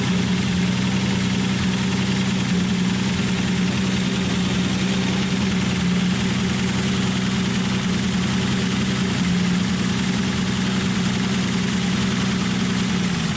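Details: Datsun 280Z with freshly rebuilt engine, first start after fitting the coil wire, on a jump box, no muffler, lower coolant hose missing so only run briefly: a raw, blaring idle with a steady low drone. Loud idle from missing muffler.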